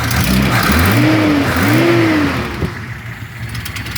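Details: Datsun 260Z engine revving and falling back to idle with a raspy, puffing edge under the exhaust note; exhaust leak somewhere toward the rear.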